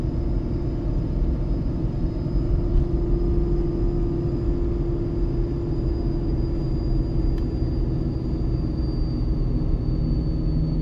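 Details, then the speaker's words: Ford 6.7 Powerstroke with MPD compound turbo kit, towing heavy load downhill in second gear at about 35 mph on third of four tunes: a deep, steady drone at constant pitch over road rumble as the exhaust brake holds, harder than stock. Normal operation. "i usually drop it down here to second gear and we'll see if the exhaust brake can hold back seems to hold back harder with this turbo on here than it did when it was stock"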